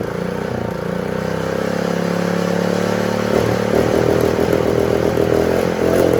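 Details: Honda GX120 engine that previously wouldn't start, after moving the throttle spring to another hole so the lever works: a busy, even patter, then it picks up speed and settles into a steady run; normal running.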